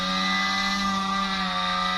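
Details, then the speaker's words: Asus G531 gaming laptop: loud steady buzzing drone with a low hum and whine, like a two-wheeler engine; the worn fan vibrates and was replaced. "यह ऐसी आवाज आ रही है जैसे कि कोई एक टू व्हीलर चल रहा हो कोई गाड़ी चल रही हो ऐसे इसमें आवाज आ रही है तो इसमें सिंपल सा प्रॉब्लम है फैन ये ज फैन घूम रहा है उसकी वाइब्रेशन की वजह से बहुत ज्यादा आवाज आ रही है क्योंकि फैन खराब हो चुका है"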